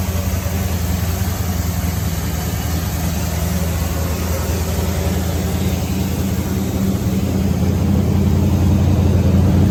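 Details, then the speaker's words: 1970 Ford F-100 with a Mexican-block Ford engine (hi-po 289-style webbing), fired up on a little added gas after sitting a while; an even, quiet, deep V8 rumble at idle with no knocks or ticks, a normal idle. "I think he's a great old motor really good motor that's quiet it is this is super fun this is great as motor"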